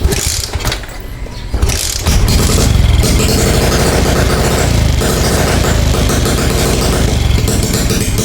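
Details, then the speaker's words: 2017 Suzuki Smash 115 carbureted motorcycle after a new spark plug cap: catches after kicks, then fast, uneven popping and crackle instead of a steady idle. Rapid backfire; owner suspects pulser wiring, CDI or exhaust leak, unconfirmed. "Tataka lang ako non mga boss para siya naka-raapid backfire no."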